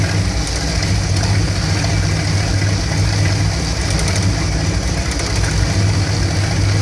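Deep V8 idle with an uneven, lumpy pulse that stumbles now and then instead of running smoothly; rough warm idle, cause unclear.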